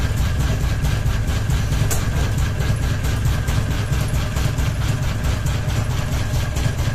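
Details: Ceiling fan running with only one blade and a ball hanging: steady hum with a rhythmic thump about once a second in step with rotation; fan badly unbalanced and wobbling.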